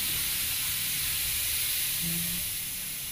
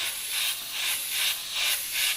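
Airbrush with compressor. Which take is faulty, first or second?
second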